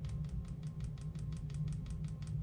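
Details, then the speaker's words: Porsche 911/Cayman/Boxster (997/987) cupholder after repair of its broken spring-tension plastic rod: light, regular plastic clicking when shaken, a minor residual rattle, probably the cupholder vibrating at a junction. "all right there's a little bit of noise just from like this thing moving but it's very minor and it doesn't have to do with this"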